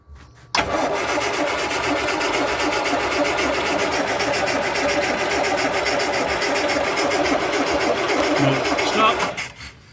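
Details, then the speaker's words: 1962 Land Rover Series 2A 2 1/4 petrol after 10+ years sitting: about nine seconds of steady cranking with no firing; no spark out of the coil, concluded the coil (king) lead is dead. "nothing there at all nothing coming out the coil all right turn it off completely mate it's our way off right let's have another thing about this so after a bit of tinkering about with um there's no spark but what i've come to the conclusion is the king lead is dead"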